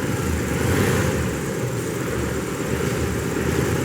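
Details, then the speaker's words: 2005 BMW 645Ci 4.4 L V8, cylinder 6 misfire above 2,000 rpm despite new plugs and coils. Power-braked in drive, the note stumbles and shakes unevenly under load; ignition coil judged faulty. "Got it on camera for those of you who would like to say, oh, you didn't get it on camera. We're calling a coil on this thing and moving on."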